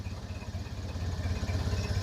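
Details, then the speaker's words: 1931 Ford Model A Roadster under way with a low, steady four-cylinder putter, firing evenly with no misses, knocks or rattles; the old engine is running healthy. "yeah it's wasn't made for heavy people no boy it sounds awful good though"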